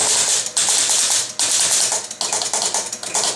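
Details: Chicago Coin Blue Max electro-mechanical pinball: bursts of rapid, crisp clicking from the score reset cycling normally with brief pauses, heard after the contacts were replaced, cleaned and relined.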